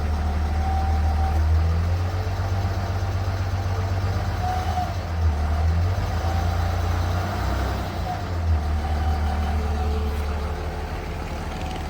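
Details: Mid-pitched howl coming and going over steady diesel idle clatter on a 3rd gen Ram Cummins that runs about 210; owner suspected turbo or fan clutch before stethoscope diagnosis: bad alternator bearing.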